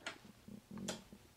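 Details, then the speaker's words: Montek X1200 solar generator, still wet after being washed down, AC inverter switched on: a few crisp, sharp clicks as the inverter relay engages normally. "and it does click on and uh then we're going to open it up make sure there's no water on the inside"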